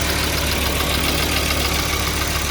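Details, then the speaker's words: 2002 Volvo XC70 2.4 turbo with long-crank problem, after replacing cam sensor aperture ring and housing and clearing codes: starts quickly and settles to a steady, even idle with a smooth low hum, no ticking or stumbling; normal idle. "Wow, that's so much easier. Wow, that was quick. Now it sounds good."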